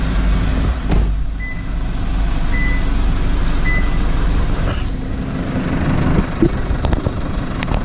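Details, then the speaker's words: Toyota Prado 150 diesel at idle after fixing the common squeak by replacing part 17451-74051. The idle is steady and even with no squeal; normal idle. "so uh so far so good um i haven't heard anything put the air conditioner on see if it increases the revs and does anything but you gotta be happy with that finally got rid of that annoying squeak that plagues so many of these toyotas"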